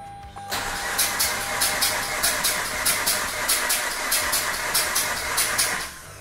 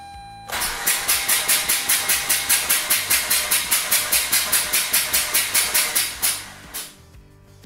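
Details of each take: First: Mazda RX-8 suspected low compression, compression tester on rear rotor, clutch and throttle down: even, steady cranking at 283 rpm; healthy starter, rotor faces 107/104/103 psi within spec; normal cranking. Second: Mazda RX-8 rotary engine compression test, cranking with the crank position sensor disabled at about 143 rpm: even cranking pulses, with the rotor reading 29 psi, far out of spec, meaning a catastrophic leak.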